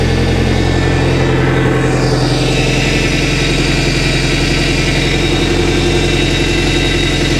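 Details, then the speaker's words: Boat inboard engine warming up during winterization (thermostat opening past 160), steering worked back and forth; faint power steering pump whine shifting in pitch over steady idle, on a boat being checked for a power steering fluid leak. "So I'm going to start recording on this, and I'm going to work the steering back and forth. I can hear the pump whining a little bit."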